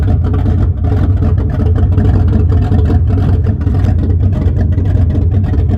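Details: 1974 Chrysler Newport with a slightly tuned 440 V8, first start after a rebuild with new bearings, open headers, phone-recorded: a steady heavy burble with even pulses and no ticking or knocking; a healthy bottom end.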